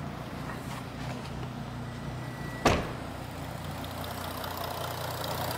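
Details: Audi A5 3.0 TDI V6 S tronic with upgraded turbo, just fitted with new genuine clutch pack and LUK flywheel to cure slipping: quiet, even diesel idle, steady low hum, no knocking, one bonnet slam midway; sounds healthy.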